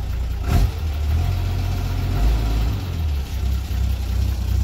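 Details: 1991 Isuzu FTR dump truck, 6BD1-T diesel, not yet warmed up: a deep, loud, boomy rumble swelling with each throttle blip. The muffler is blown out and loose, heard before being cut off for straight pipe.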